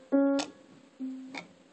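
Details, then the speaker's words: Baldwin console piano with drop (spinet-type) action: two notes, each followed by a sharp click on key return, present on every key, from old hardened, crumbly rubber grommets to be replaced. "hear that clicking sound that clicking sound is on every key"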